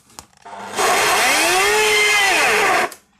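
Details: Samsung vacuum cleaner after a knock or pop during use: motor spins up to a harsh rushing whir whose pitch swells and sags instead of holding steady, as if something broke apart inside; broken motor fan impeller.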